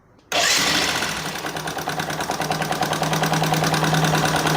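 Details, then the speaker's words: Motorcycle single-cylinder starting and idling with a loud, harsh tak-tak-tak tapping. Mechanic first suspects tappet noise or piston slap, possibly from no engine oil; the cause was excessive rocker clearance in the valvetrain. "Initial देख के मेरे को लग रहा है दो चीज़ें, एक तो इसके अंदर या तो टैपिट का साउंड हो सकता है, बट टैपिट का साउंड इतना खतरनाक नहीं होता है।"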